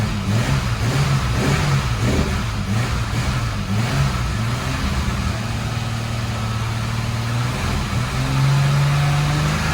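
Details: 1987 BMW E30 325iS, M20B27 2.7 on a 1988 SuperETA bottom end with standard 15-lb injectors and a new ANSA sport exhaust, on first start: it barely holds idle, loping and hunting. Owner suspects an AFM vacuum leak or the small injectors.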